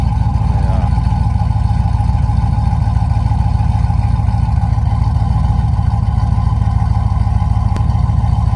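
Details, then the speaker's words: Rebuilt Tahoe engine with a BTR V2 stage 2 cam, LS7 lifters, long tube headers and stock converter, idle settling down: deep lumpy idle with an uneven loping beat around three pulses a second, steady and strong; normal choppy cam idle. "Yeah, for a cam that's compatible with the stock converter, it's fairly choppy. It's pretty impressive, and it drives really well too."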